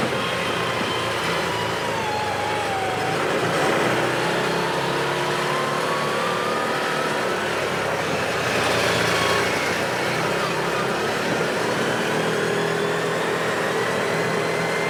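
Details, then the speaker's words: 2017 Odes side-by-side on a road test after the fix: a steady engine drone rises and eases with throttle with no surging or stumbling, and no more hesitation now that the gear position sensor has stopped jumping to neutral or reverse. "So boom, right there, no more hesitation, no more spitting and sputtering, because that gear position sensor is no longer jumping around, showing neutral or reverse or any of that crazy stuff and kicki"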